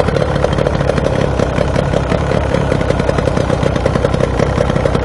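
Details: Outboard boat motor that sat a long time, after carburetor rebuild, new fuel filter/water separator and primed fuel line, running in water: quick regular firing beat, steady without misses; normal running.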